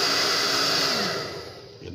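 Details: Hair dryer after its broken heating element was replaced with one adapted from another dryer, now heating to about 110 °C; even airy fan whoosh winding down smoothly when switched off; normal running.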